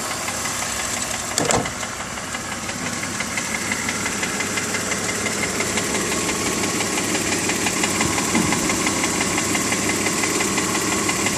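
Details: BMW E46 325Ci with M54 engine, warm, ticking only at idle at the front of the engine: light, quick tick roughly three a second, keeping time with engine speed; source not pinned down.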